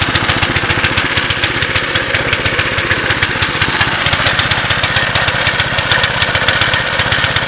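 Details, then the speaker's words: 2006 Baja Warrior ATV, seemingly low mileage, cold start: small single-cylinder thumping steadily at idle with slightly lumpy, uneven beat; runs a little rich, carb rebuild or replacement planned; no clangs or bangs. "yeah she's definitely running a little Rich there worst comes the worse throw a $25 carb on it"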